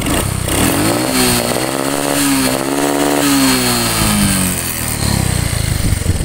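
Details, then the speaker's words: Honda Supra X 125 (Karisma) revs with a choppy "ngok-ngok" stutter like an RPM limiter under throttle, caused by an ignition wiring fault (a red/black wire left unconnected and a loose fuse), not the carburetor. "kemudian gas ditarik itu ada suara seperti semacam RPM limit atau seperti juga pengapian yang trouble atau"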